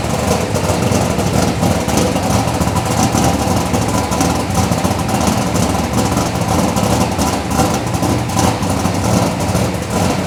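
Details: Chevelle V8 with Edelbrock Pro-Flo 4 EFI, 13.5:1 compression, said to run E85, injection not yet fine-tuned, 3.5-inch collectors into 3-inch exhaust with mufflers: deep, throaty, steady, even burble with no misses or knocks; normal idle.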